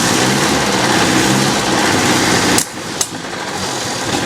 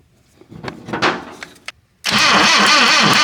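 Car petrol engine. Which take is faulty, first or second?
second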